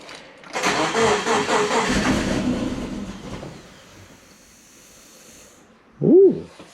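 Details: Freshly rebuilt turbo Subaru Forester boxer engine on first start, injectors re-enabled: catches after cranking and runs unevenly for about three seconds before fading out; rough, stumbling first start. Cause suspected, not confirmed.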